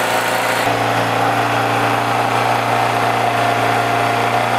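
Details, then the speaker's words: Generator just fitted with a replacement carburetor, started on choke with the fuel valve open: a steady, even hum with no surging, misfire or knocking after the first second; normal running after repair. "Now what I want to do is start it up, make sure there are no other problems."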